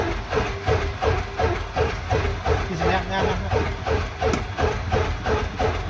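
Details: 1969 Cessna 177A Cardinal, first engine start after a 16-year restoration; even, regular thumping at about three beats a second as the propeller engine settles into a steady low idle without misses; normal idle.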